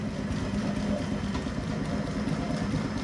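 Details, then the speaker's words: Bennett Model 450 twin clock-face gas pump, built around 1932, barn find sitting over 40 years, revived after mechanical and electrical repairs: right and left pump motors switched on, steady even low hum without knocks or surging. Normal running. "Right hand pump on. Left pump on. She sounds healthy."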